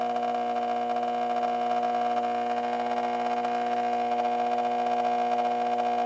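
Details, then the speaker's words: 1986 Carver PM-350 power amplifier on the bench after repairs, barely warm, with added cooling ducting: steady, loud, buzzy mains hum unchanged under heavy output; very noisy power transformer. "very noisy Transformer on this"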